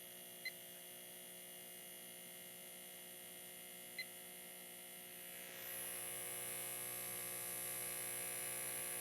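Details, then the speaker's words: Homemade permanent-magnet synchronous AC motor on 12 V AC, spun up by a starter motor, now locked to the 60 Hz supply: a quiet, steady mains-pitch hum that brightens slightly as it settles; normal synchronous running. "so here's my starter motor that's all it took now the motor's running in sync with that 60 htz signal and old Maggie loves that that's just perfect for her"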